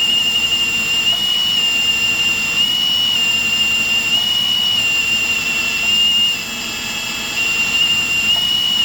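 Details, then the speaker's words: Hydro-Gear T2 hydrostatic transmission being purged, drill driving it with release valve held open: high steady whine whose pitch steps and shifts as trapped air works out; axles spin better as air clears. "I don't know if you can hear it on the camera. But yeah, you can hear it changing tone."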